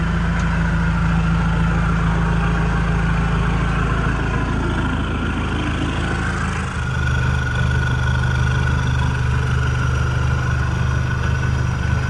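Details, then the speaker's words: Mitsubishi Pajero 4M40/4D56 diesel just after fuel filter change with unprimed filter: idles with uneven, stumbling clatter settling into a steadier beat; air in the fuel system, then running good. "Okay. So, she ran a little rough for a while, but now it's running good. Um, obviously there's air in the uh system"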